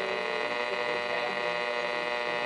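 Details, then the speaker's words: Sylvania 1-251 tube radio from about 1950: steady buzzy hum and hiss over reasonable reception on the low end of the AM band; switching off or unplugging room lights has no effect, cause unknown. "so you can get pretty decent reception but it just it has static over it on the low"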